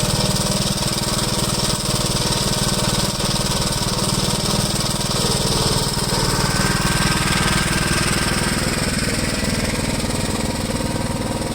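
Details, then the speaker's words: 1973 Gravely C8 with a donor engine installed, after setting the ignition timing: the single cylinder thumps at an even, steady beat with no pops or backfires. The earlier backfiring has cleared. "i heard it but it cleared it up i don't hear any more back firing or anything"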